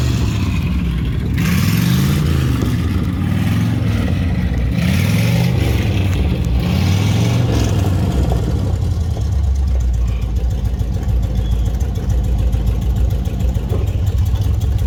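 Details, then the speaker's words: 1955 Dodge with used eBay automatic transmission on a drive: revs climb and drop in steps, smooth shifts with no slipping or flare; normal automatic shifting. "Hey. You can hear it shifting."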